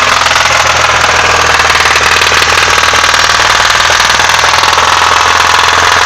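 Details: Nissan SR20DE: fast, even ticking knock over a steady idle, no change in rhythm; source not found, valve cover removed and camshafts and bearing caps in place with no visible cracks.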